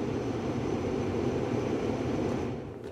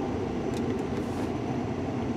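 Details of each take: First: 2004 Mercury Grand Marquis after replacing the faulty blower control module that had the fan stuck on high. A steady, even rush of air with no ticking, squeal or rattle eases off as the fan is switched off; normal blower operation. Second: 2004 Mercury Grand Marquis with key on and fan switched off: a constant loud roar of air out the defrost and a little from the floor. The blower is stuck on high, ignoring the dash controller; swapping relays didn't help, and a replacement blower control module fixed it.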